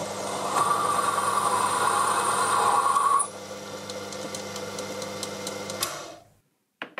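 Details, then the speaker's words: Lathe cutting a part for a machinist's jack: a steady high ringing squeal over motor hum, easing as the cut lightens; tool chatter at low spindle speed, where slowing down still needs enough motor power. "there was the usual problem with wanting to slow the speed down to reduce chatter but needing plenty of motor power to keep the lathe moving"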